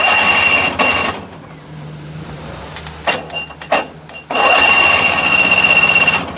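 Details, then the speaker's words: Tuk-tuk: on connecting the battery, with ignition off, the starter whirs in loud bursts that cut out and return with nobody cranking; cause found to be a burnt-out starter relay holding it engaged. "it's trying to go. That's without the ignition on, without doing anything. It's just, oh, there's some electricity, let's use it all up."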